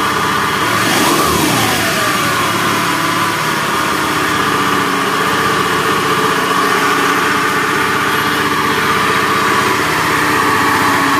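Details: Honda BeAT FI scooter: rough, gravelly coarse rumble through idle and revs, helicopter-like and worse with throttle, from a worn left crankshaft main bearing.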